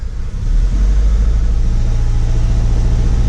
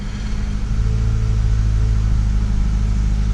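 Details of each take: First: 2008 Acura TSX 2.4 idling with a low, lumpy, uneven pulse and stumble; cylinder 2 coil swapped to cylinder 1 moved the misfire, flashing check engine light confirms a cylinder misfire from a bad ignition coil. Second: Acura TSX 2.4 after replacing the faulty ignition coil that caused a cylinder 2 misfire: deep, even engine note settling steadily with no stumble or miss, sounds like new; normal running.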